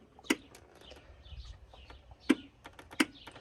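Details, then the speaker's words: Mitsubishi Triton with a cranking no-start complaint, glow plug relay triggered by scan-tool active test: three sharp separate clicks over near silence, showing the glow plug circuit is working; normal relay click. "شايفين هذا الصوت هذا يدل انه شغال"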